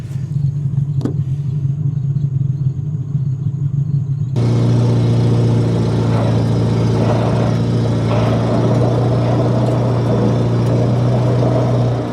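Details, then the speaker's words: 1950 Buick straight-eight chopped lead sled idling deep and uneven, lumpy stumbling beat with burbling and exhaust pops, missing on one or two cylinders; owner suspects bad spark plugs and wires about five years old; engine misfire. "You can hear it's missing and burbling and popping a lot."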